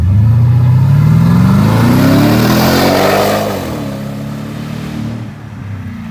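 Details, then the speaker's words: 2006 Porsche Cayenne Turbo V8 accelerating from a stop; pitch climbs about three seconds then drops and settles; seems to start in second gear and downshift, power kicks in halfway through rpm; owner suspects first-gear power limiting, unconfirmed. "I don't know what it's doing, but it does something like when you get halfway through the RPMs and just like kicks in, like all the power kicks in. I don't know if it's like limiting power in first gear or what."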